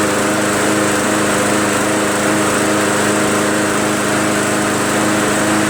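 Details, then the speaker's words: MTD Yard Machines 20" push mower, Briggs 300E engine, running at no load after a carb clean and draining water from the tank: steady drone with slight surging. The carb may not be fully clean, or the governor spring may need adjusting. "it's got some ass gasps there still Serge is a little bit means that the carburetor is probably not a huntress unclean or it could mean an adjustment on the spring in the governor needed"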